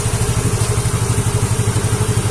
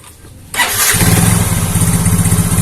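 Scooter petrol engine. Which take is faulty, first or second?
second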